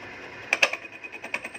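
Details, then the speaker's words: Lathe turning the welded end of a repaired motorcycle crankshaft, first out-of-round pass: cutting hiss with sharp clacks about six per second as the tool hits the weld bead, harder than the steel; interrupted cut. "ครับเสียงมันจะ2เสียงนะครับชึดๆๆๆแล้วก็แก๊กๆๆๆๆๆนะครับที่แก๊กๆเนี่ยนะครับรอยเชื่อมนะครับรอยเชื่อมมันจะแข็งกว่าเหล็กนะครับผม"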